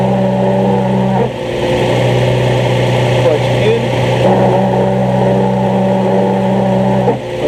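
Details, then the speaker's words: 2003 Nissan 350Z at idle: steady whirring squeal appears when the clutch pedal is pressed and stops when released, getting louder when pulling away until the pedal is fully out; owner suspects throwout bearing, unconfirmed. "it's my 03 350Z got a bad clutch squeal going on sounds just like a throw up bearing"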